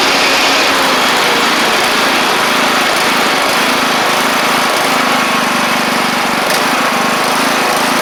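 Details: John Deere LA100 riding mower with 5-speed transaxle, long-sat, hard starting from valve issues, on the test run with the blades engaged: the small engine holds a steady hum under load with no stumbling or surging. The mower runs healthy.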